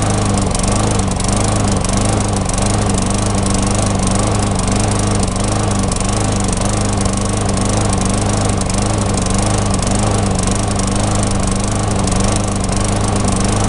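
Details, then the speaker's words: Tecumseh engine on a mulching mower, before carb repair: ragged uneven beat with slight hunting, missing and surging; owner suspects fuel starvation, as the bowl nut passages are clear but the spark plug shows white lean deposits. Engine surging and missing. "so to me it sounds like it's starving for fuel uh I did take the bowl the carburetor Bowl off and check the bowl nut and all of the passageways in the bowl nut are clear"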